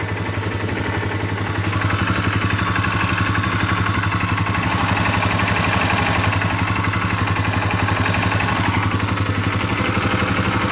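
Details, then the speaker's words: Polaris ATV after repair, starter sounds good and it fires first try: even regular putter about four pulses a second at idle, no grinding or misses; healthy normal idle. "looks good sounds really good sounds really nice"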